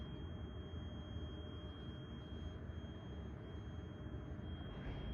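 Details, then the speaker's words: Hyperion scooter powered on after a light repair: a thin, steady, loud high-pitched whine/hum from inside. The pitch rises when one wire is disconnected and rises further with both disconnected; cause unknown. "I don't know if you can hear but there's like a it's like a noise coming in from inside here and when I disconnect one of these it's like a higher tone sound now if I disconnect both of them now it's even higher"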